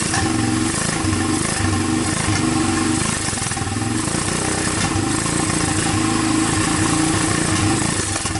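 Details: Honda TRX300EX single, formerly seized, running on PZ27 carburetor via adapter with starter on 12-volt jump pack; steady even idle thump, no knocks, rattles or timing chain noise; normal idle.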